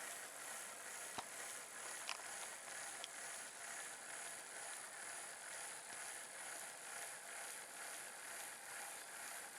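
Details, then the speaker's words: HO scale DJH NSWGR D57 class locomotive kit with working Gresley valve gear, powered on with no flywheel fitted yet: a thin, high motor whirr rising and falling about twice a second from a tight spot in the mechanism, not yet sorted out. "Because I've already got the power hooked up, ready to go, there is a tight spot in the mechanism, which I'm still trying to sort out at this particular point."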